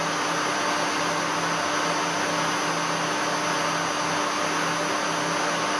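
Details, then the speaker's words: Three-phase motor run on single-phase 220 V through a variable frequency drive (1-phase 220 V in, 3-phase 220 V out), star connection; steady airy run with a high whistle on top, the normal inverter switching whine at low carrier frequency, left as is. "A mí en principio este ruido tampoco me molesta, así que lo voy a dejar así."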